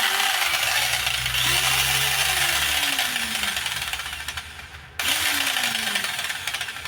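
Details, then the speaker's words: Makita 4329 jigsaw with gearbox knock, after reassembly: motor screams at full speed with uneven knocking throughout, still knocking; a bent part may need straightening, suspected from worn gear and loose pins. "равно стук Вот это уже дорого сейчас Я не знаю как это надо куда-то нести куда-то выпрямлять"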